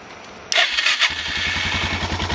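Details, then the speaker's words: Suzuki DR650 whose failed petcock and float flooded the carb, crankcase and airbox with gas: catches and settles into an even thump of about eight beats a second. Normal engine start. "it didn't start quite that easy the first time but it wasn't terrible either had to crank it a little more"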